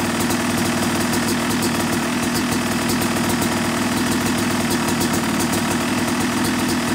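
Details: Yamaha YZ250 two-stroke motocross bike (270cc/250cc), break-in after full engine rebuild (bottom end, transmission, bearings, clutch, power valve); fast steady crackle holding an even idle without stumbles or rattles; normal.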